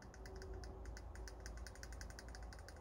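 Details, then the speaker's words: Arrma Outcast 6S RC car, motor opened and cleaned, pinion reset against the center spur gear after it seemed to have shifted: light, quick even clicking over a low electric hum, no grinding; normal gear mesh, properly set. "entendez ça doit faire comme ça le cliquetis entre la couronne et le pignon moteur donc là normalement c'est bien réglée"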